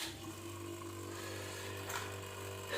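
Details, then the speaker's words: Whirlpool refrigerator compressor, run directly: loud steady low hum, humming terribly; technician suspects clogged filter or compressor wear, replacing compressor. "вот так вот он гудит ужасно"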